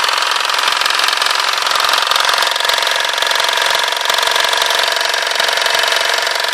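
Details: 2005 BMW 320d E90 diesel at idle: hard rapid clatter over rough, uneven running; engine knocking and vibration, cause not yet clear.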